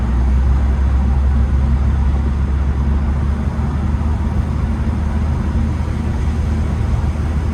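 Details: Late air-cooled Porsche 911 Type 993 driving after cooling fan replacement for age-related engine noise: smooth steady low rumble under road noise, no whine, rattle or scraping from the fan; healthy.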